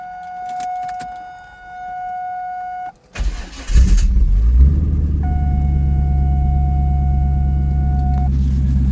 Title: Starter Grinding Noise - Bolts Came Loose